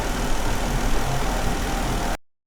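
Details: Jeep Wrangler idling with P0304 cylinder 4 misfire; coils and injector already swapped but the miss stays on cylinder 4. Dealer blamed the computer; oscilloscope shows injector outputs working, so the fault is judged internal. Rough, lumpy, stumbling idle.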